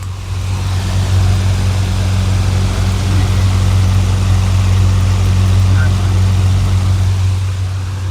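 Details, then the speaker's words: New Havells Ventilair DB 12-inch (300mm) exhaust fan installed in a kitchen, extracting air: steady low motor hum under soft even air rush, no rattles or wobble; very low noise, only air sound, running healthily. "आपने इसमें भी noise बहुत कम है, बस air की आवाज़ है, बाकी चलने में बहुत बढ़िया है।"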